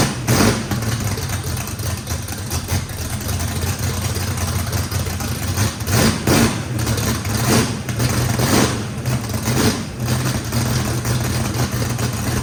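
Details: First start of a race V8 with a radical camshaft, likely big overlap and lobe separation, throttle blade about six percent open to idle: deep, choppy, uneven lope with periodic surges, otherwise clean and steady; normal lopey idle.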